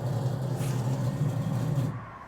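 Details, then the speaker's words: 1997 Chevrolet 1500 5.0L, crank-no-start after dying while driving: rough, buzzy, strained two-second hum at key-on prime, then cutoff, sounding as if it is spraying fuel back; weak fuel pump suspected. "sounds crazy. Yeah, that doesn't sound very good. It's almost like it's spraying gas back in."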